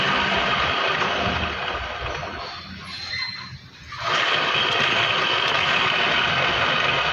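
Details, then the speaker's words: Scooter-type motorcycle, rear wheel spun by hand: an irritating steady gritty rushing grind that dips briefly then returns; worn transmission (gearbox) bearing with excessive play, to be replaced after removing the CVT. "Ayan mga Kaboss Amo, narinig nyo naman yung nakakairitang tunog ng gulong niya kapag pinapaikot. So hanapin natin kung ano yung naging problema."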